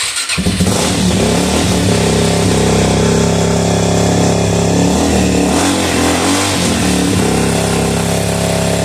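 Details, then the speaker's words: Suzuki DRZ400E revived after a carburetor rebuild, initial startup: fires within a second and goes straight to a steady, even single-cylinder idle with no misses or hunting; runs healthy. "told you it sounds good sounds real [Music] good look at that straight to idle"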